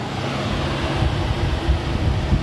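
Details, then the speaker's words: 2001 Mitsubishi Eclipse with a salvage-yard engine: the radiator cooling fans run at high speed when the fan relay is activated with a scan tool, a strong steady rushing roar, working normally. High speed does not come on with the AC button pressed. "the fans do turn on a high speed."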